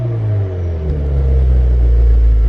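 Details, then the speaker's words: 2014-2018 Subaru Forester XT with GTX29 turbo, Perrin headers, catless downpipe, and new Invidia Q300 catback, revving: deep, smooth, quiet rumble swelling evenly with no leak ticking. "So first off, I thought it was going to be at least a little bit louder, but holy crap, this is super quiet."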